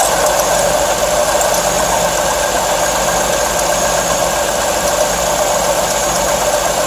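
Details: V6 car idling with a constant high whir and thin steady whine; mechanic diagnosed a worn water pump and serpentine belt, to be replaced with a pump kit, new belt and coolant.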